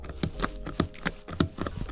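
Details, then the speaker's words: Hyundai Genesis Coupe rear passenger-side seat belt: quiet, uneven clicks and clunks as the belt is pulled, with no smooth reel-in; the retractor sounds jammed. "just doesn't sound right sounds like it's jammed or something"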